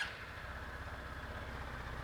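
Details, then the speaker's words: Motorcycle engine idling with the balancer disengaged from the crankshaft, turned 90° away: a quiet, even putter. The noise disappeared, showing the engine noise lies in the balancer gear train. "reparar que o barulho sumiu certo então detectamos que o barulho está no caminho de engrenagens"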